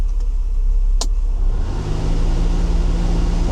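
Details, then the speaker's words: Mercedes W126 300SEL with M103 engine, about 500,000 km, idling: after a switch click a steady hum spins up from the noisy cabin blower fan, which needs cleaning. "Let's check why the blower isn't working. It's so noisy. Turn it off."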